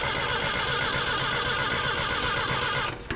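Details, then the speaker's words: Datsun 620 found abandoned, cranking with no start. Steady cranking for about three seconds with no firing, then stops; the points barely seem to open and may not be breaking connection, suspected but not confirmed. "It don't look like it's hardly opening. May not be breaking connection, but if that was the case when we opened it, bump it."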